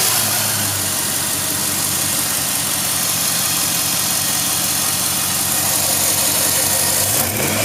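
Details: 2006 Jeep Grand Cherokee 4.7L after exhaust manifold leak repair: steady, even hum with a smooth hiss and no puffing or ticking from the manifold, normal running.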